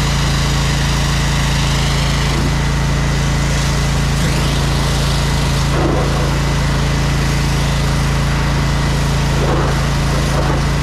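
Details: Electric-start jetter trailer engine, choked, after clearing clogged hoses: small single-cylinder engine holding steady even low drone with no knocks or misses; normal running.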